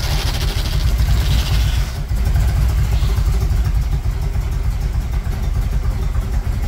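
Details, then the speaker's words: 1978 Chevrolet Monte Carlo V8, rebuilt 2004 with probably under 50 miles, started after sitting a couple of months: deep rumble surges and sags under throttle with a stumble; backfiring, stalling, won't accelerate; owner believes timing needs work, tune-up and plugs due. "I was having a lot of issues keeping it on it kept backfiring and also it wouldn't accelerate so I know I need to work on the timing"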